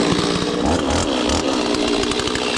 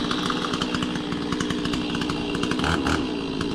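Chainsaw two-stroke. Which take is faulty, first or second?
second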